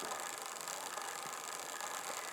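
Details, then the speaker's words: Wrenn 08 shunter model locomotive after strip-down and clean, on a rolling road with ammeter, run about as slow as possible without stalling: soft, steady hissy buzz, smooth crawl, drawing 1/4 amp; normal slow running, magnet suspected a bit tired. "I'll knock it back. It's about as slow as I can get it without it stalling."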